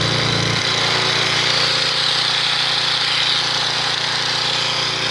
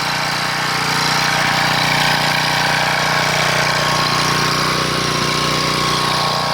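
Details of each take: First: 1997 3000-watt portable generator after new carburetor install, run after priming: small engine at steady, even speed with no surging, output about 118–120 V without sagging; normal, healthy running, expected to use less gas. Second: 1997 3000-watt portable generator, Tecumseh engine, sat 20 years with old gas: steady high buzz but strained and uneven, unable to govern speed, only about 115 volts output; varnished, pitted carburetor, replaced afterward.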